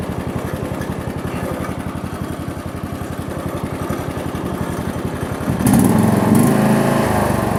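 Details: John Deere LX172 lawn tractor, sat unused likely over a year, after repair: even putter that climbs cleanly to higher revs without stumbling. It previously stalled before the first throttle notch and now revs up with no hesitation.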